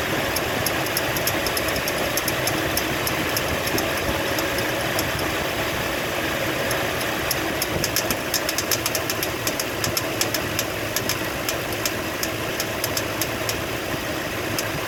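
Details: Warm 2004 Toyota Sequoia/Tundra V8 at idle with a fast, light clicking over the steady hum; owner suspects the water pump or idler pulley.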